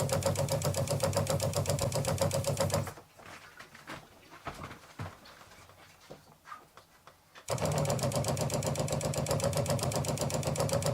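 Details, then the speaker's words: New USA Adventure Gear ProGear 5300 RV water pump, replacing an old ShurFlo: rapid even buzzing pulse about four per second, stopping and restarting as it cycles; a bit louder than the old pump; later judged the wrong pump for the job. "So far I'm finding it a bit louder than the pump that was in there before."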